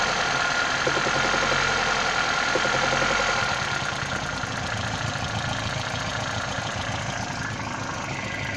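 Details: 1996 Toyota Caldina ET196, 5E-FE engine, a year after rebuild with new crankshaft and bearings: at idle a sharp, regular knock about three times a second over the engine note; internal knock, cause unknown.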